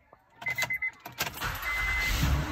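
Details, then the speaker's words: 2012 Honda Ridgeline Sport, first start a few days after owner replaced the bad alternator: a few short cranking pulses, then it catches and settles into a steady, even run over a chime; healthy start, the alternator was the fault. "It works! I fixed it! It didn't die! It was the alternator."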